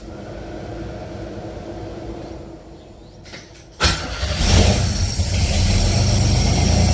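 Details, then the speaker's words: Pontiac Fiero idling during AC recharge with gauges on: quiet idle, then louder heavier running and engine bogging as compressor kicks in and low-side pressure drops; compressor short cycling from low refrigerant. "see how it you hear the engine change so when that when it drops it bogs down that's the compressor comes on and pressure drops it shouldn't be dropping it should be staying consistent"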